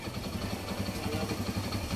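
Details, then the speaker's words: Kawasaki Bajaj CT100 single-cylinder after timing chain replacement: smooth quiet idle with soft even beat, earlier grinding from inside the engine gone, no rattle from timing side; normal idle. "So nawala na yung kaninang parang parang may gigiling sa loob, parang may gilingan sa loob ng makina. Ayan o. Tahimik na siya."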